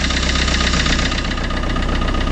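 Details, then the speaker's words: Fiat Qubo 1.3 Multijet diesel, first start after timing chain reinstallation: uneven idle with light steady knock and limping beat as if one cylinder is weak, smoking heavily; glow plug suspected, not confirmed. "fait que ça tourne sur TR et que ça cogne un peu"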